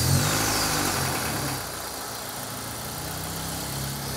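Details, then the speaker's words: Toyota RAV4 on an unknown stock engine, turbocharged and run on a dyno at 11–12 psi boost, on restart; steady idle with light, quick metallic tapping about four per second, suspected in the head; top-end tapping from low oil pressure. "Got a rattle? Yeah. Although, yeah, it sounds like something in the head, to me."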